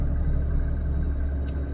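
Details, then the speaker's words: Inside the cab of a 1997 Dodge Ram 3/4 ton truck with a 12-valve Cummins diesel, driving on the road: deep, even low rumble with no knocks or rattles; a healthy but noisy diesel. "older, a 1997 Dodge Ram 3/4 ton truck that has a 12 valve Cummins diesel engine in it, so it's noisy. It's a great engine, but it's kind of noisy, so I'm hoping you can hear me okay."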